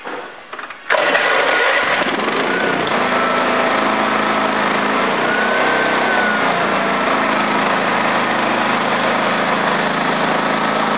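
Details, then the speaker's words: Honda 13 hp OHV single-cylinder tractor engine, valve cover just refitted after oil spilled onto the exhaust, started on choke: brief crank, then a steady, even idle with no misses or knocks; idling as it should. "That's how it's supposed to idle. That's how it's supposed to idle."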